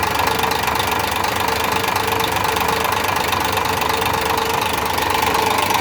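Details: Idling engine with a fast, fairly even knock of roughly three or four raps a second over the running noise: engine knocking, cause not yet found.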